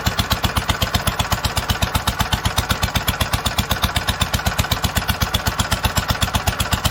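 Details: 1946 International Harvester LBB 3-5 hp water-cooled engine, first cold start after long storage: even steady chuffing about four beats a second with valve clatter on top, normal running.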